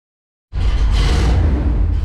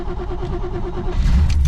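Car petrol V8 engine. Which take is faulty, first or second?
second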